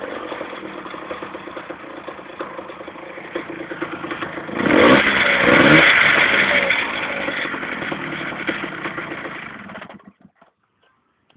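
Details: DTR two-stroke engine idling then revving hard around five seconds, light fairly regular tick over the engine; owner reports a small noise, source not yet identified.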